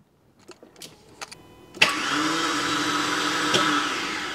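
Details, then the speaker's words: Porsche 986 Boxster with V8 engine swap; after a few clicks a high, smooth whir spins up with no engine cranking as the just-replaced starter motor free-spins without engaging the flywheel; cause suspected, not confirmed. "now the starter mode it sounds like it's free spinning and not engaging with the the flywheel if you listen"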